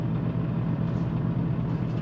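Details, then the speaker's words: 1999 Porsche 911 Carrera with a newly fitted semi-solid transmission mount and semi-solid engine mounts, driven on the freeway at higher revs: low engine drone with a light, fast transmission gear rattle that stops when the clutch is pressed. "but you can hear a little like rattling the transmission with the clutch in that goes away"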